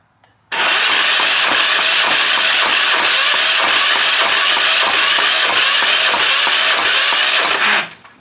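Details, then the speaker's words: Hatz 1B20 diesel on a military surplus pressure washer, glow plug unchecked, cranking on undersized hot wiring: steady churning starter rhythm for about seven seconds with no catch; it cranks but won't fire. "kind of sounds like it wants to go"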